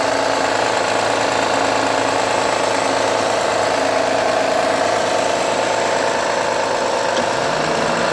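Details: 2009 Honda Accord V6 at cold-start idle: a steady light knock about three times a second that goes away after a few minutes; owner suspects a pulley or belt tensioner: knocking noise at cold idle.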